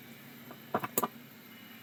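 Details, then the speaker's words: Maxtor XT-1085 hard drive at power-on: a few faint clicks and ticks, then near silence with no motor whine rising; drive fails to spin up. "yeah I'd call that failure"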